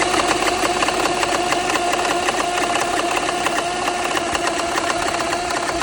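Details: BMW N54 at idle after the cylinder 1 injector was replaced, which stopped the cylinder 1 misfire; no check engine light. Irregular light knocking/ticking about 3–4 per second remains, cause unknown.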